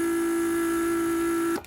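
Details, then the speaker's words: Mercedes S320 repaired PSE (door lock) vacuum/pressure pump on bench test: steady high hum for about 1.5 s, then cuts off cleanly once vacuum storage tank fills; normal operation after repair. "once it creates enough vacuum in the vacuum storage tank it shuts off so we're good here"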